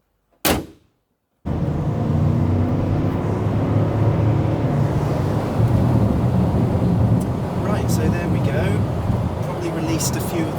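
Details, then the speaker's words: Mercedes W164 ML450 CDI 4MATIC, 4.0L diesel V8, test drive right after DIY service with new air filter: steady, even drone under road noise, no knocks, misses or surging; running smoothly. "Seems to be running very nicely now. So, yeah, I think all good."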